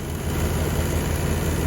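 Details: 1993/94 Chevy G20 van, TBI 5.7 V8, warm after about 20 minutes idling during coolant bleeding following temperature sensor replacement: steady, even low rumble with no knocks or misses; normal warm idle.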